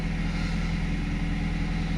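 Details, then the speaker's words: 2019 BMW 320i M Sport automatic Touring, about 70,051 miles, last serviced February 2024: starts fine with no warning lights and settles into a smooth, even low idle with no knocks, ticks or misses. "Start it up for you. So it starts fine, no warning lights."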